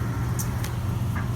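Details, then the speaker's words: Panda PAN760SF 3.75 cu ft dryer on the hottest setting with a warranty replacement motor (the old one wobbled and grated): a steady, low, even hum with no grating or scraping, just the drum turning smoothly; running normally. "right now I've got this set sitting on the hottest hottest level with the button hearing and it's just running smooth"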